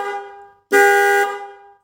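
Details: Scooter horn after replacing the thin, overheated original wiring with thick high-quality wires, engine not started: loud, clear, steady buzzing honk in short blasts with no sputter or weakness; horn wiring problem fixed.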